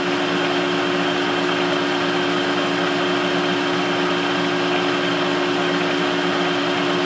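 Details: Adcock Shipley horizontal mill on its first run after an oil change (old oil full of metal and sludge), gearbox in low: a steady, even gear hum with a constant mid-pitched tone, no knocks or grinding. Possible motor-bearing roar was noted before switching back to low. Normal running.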